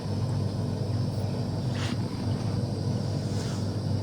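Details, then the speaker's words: AEG Electrolux Lavatherm 59800 condenser dryer, reassembled after not-heating/not-drying repair: even low motor hum with soft drum rumble, motor audible at the back, no knocks or scraping; normal running. "And I can actually hear the motor. Didn't realise it's so noisy. I can actually hear it at the back there, whereas before I just assumed it was working."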